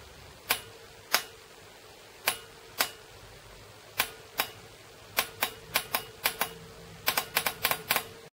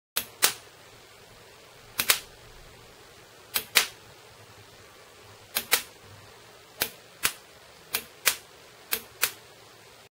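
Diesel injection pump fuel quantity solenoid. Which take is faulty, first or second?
first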